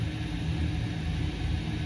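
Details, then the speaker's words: Boiler with its high limit being raised for colder days: burner fan revs up with a steady low whooshing roar and even drone, no rattle; green light shows flame on, normal firing. "And if you hear the fan revving up, it's gonna give you more firing power. I can hear it. Now that green light, the flame is on, and that's how you do it."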